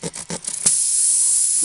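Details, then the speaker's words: Troy-Bilt Horse riding lawnmower tire: after a few short scraping bursts from cleaning the hole with a tool, a steady high-pitched hiss of air escapes from the puncture before repair with a plug kit. "now we can really tell where the hole is at as we can hear it hissing"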